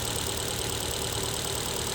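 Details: Engine with check engine light and strong vibration, scanner shows cylinder 4 misfire: idle lumps and stumbles unevenly; no spark from cylinder 4 ignition coil, which is being replaced.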